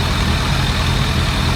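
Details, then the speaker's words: 2001 ZRX1200R four-cylinder with CVK carbs, stock 35 slow jets, after tuning: smooth deep steady idle, strong intake pulse over 30 cmHg vacuum, no misses; a coolant bleeder was then found leaking. Normal idle. "Man, this thing got a wicked badass intake pulse, that's for sure. We're up over 30 centimeters of mercury."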